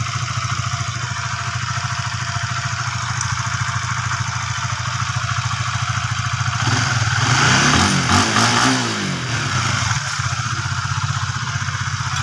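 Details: Used, previously seized Honda Sonic 150 after camshaft cover wear from dry oil was fixed, engine reassembled and radiator refilled, idling: steady single-cylinder pulses with a brief rise midway, fairly smooth with slight unevenness; normal idle.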